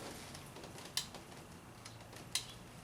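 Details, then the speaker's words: 2006 Honda Civic EX door: three sharp isolated clicks with no motor hum when the window switch is pressed; voltage drops to about 9.9 V at the motor, window motor/regulator dead and replaced. "I can hear it clicking in there and it's not doing anything obviously"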